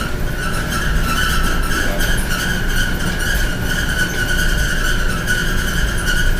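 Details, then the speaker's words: Dryer squeaks loudly the whole time it runs: a steady, piercing high squeal pulsing faintly over a low running rumble; the dryer cannot be unplugged because the plug is behind it. "I told her this was very loud this loud squeaking noise coming from the dryer"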